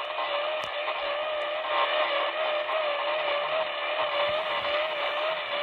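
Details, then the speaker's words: Icom IC-7000 receiver picking up pulsating motor-like interference across the whole upper HF band for about a week: hissy noise with a tone near 600 Hz wobbling up and down in pitch about twice a second, S-meter 20 over; owner suspects a neighbour's treadmill or motor. "here we go guys I can hear the frequency going up and going down somebody in my area bought a sounds like a treadmill or some kind of [Music] motor"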